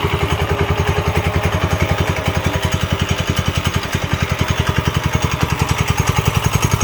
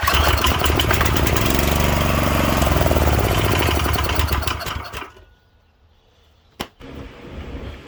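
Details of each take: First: Late-1960s Heathkit Boonie Bike with a newer Subaru-type clone engine (about 5 hp, 170 cc) idles steadily at about three and a half beats a second after a fuel-flow fix; clean, smooth, normal idle. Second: Late-60s Heathkit Boonie Bike with Subaru 170cc engine (about 5 hp), old stale gas, given a sniff with choke: rapid popping run for a few seconds then dies; fuel starvation, no gas coming through the clogged carburettor inlet.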